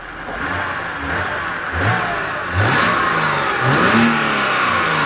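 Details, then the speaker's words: BMW E92 325i manual: several quick blips rising and falling cleanly, smooth crisp revving with no knock; engine healthy. "it sounds mint it is smooth it's crisp it's it's clean"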